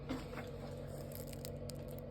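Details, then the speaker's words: Heating substation circulation pump in a building basement, the central heating riser vibrating: steady low hum with a clear mid tone under light scraping; the hum stops when the pump is switched off and returns when it is restarted. "так находим теплоузле что у нас тут насос шумит так насос шумит сейчас вот послушаем как гудит"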